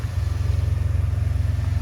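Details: Toyota Corolla after new spark plugs, coils, struts and front brake pads: deep, even low rumble with a smooth steady pulse, nothing knocking or squealing. Healthy engine running normally.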